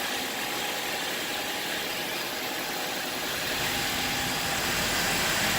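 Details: 2003 Nissan 2.5 replacement engine, after tightening exhaust flange: smooth even idle, light steady hiss, no puffing or ticking from exhaust joint; normal idle.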